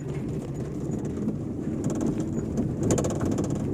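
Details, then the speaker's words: Fiat Uno 2011/12 driving on asphalt: loose tapping rattles like a loose window or banging passenger door. The cause is a loose cable striking the body, not the door. "aí pessoal tá vendo é esse barulho aí que fica parece que tem um vidro solto parece que a porta está batendo mas não é"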